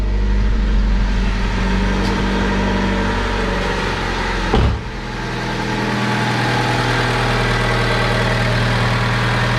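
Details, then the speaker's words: Older Honda car idling just after fuel filter replacement, watched for leaks and none found; steady, even low idle hum with a brief bump midway, no misses, knocks or ticks. Normal idle. "and we got no leaks so we're going to let this run for a little bit and just watch that filter make sure it's not leaking"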